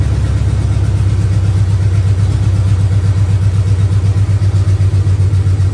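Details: 400 big block freshly swapped into a 1971 Dodge Power Wagon Adventurer, rebuilt Carter Thermoquad, open headers, first start: deep loud rumble with steady lumpy beat about four per second, firing evenly; healthy idle, timing good.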